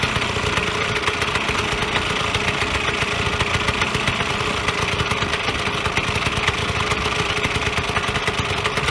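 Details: Vyatka Elektron (VP150M) two-stroke scooter revived after long garage storage: fast, even crackling beat holding a steady idle with no stumbles or dropouts; running properly.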